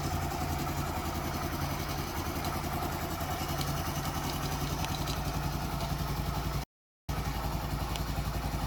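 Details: Daelim CitiAce 100 (CA100) motorcycle engine start test after replacing a missing gasket that caused an oil leak: steady, even putter with no knocks or misses; normal running.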